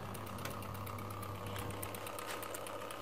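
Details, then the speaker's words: Biasi M90E 28S boiler with no heating or hot water: after the timer demand is switched on, the diverter valve actuator motor drives over with a faint steady whirr and light rapid ticking under the boiler hum. The pump then fails to run and a fast-flashing light points to a pump fault. "and that's a diverter valve actuator motor motoring down so it's been told to do something"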